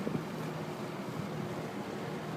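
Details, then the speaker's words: Rex Air Controls window fan after replacing the old Westinghouse sleeve-bearing motor with a new 1/4 hp 2-speed Emerson motor, belt drive, bearings shimmed with rubber strips: smooth, even low hum on low speed, no knocks, rattles or squeal. "so I'm gonna go ahead and turn it on this is on low"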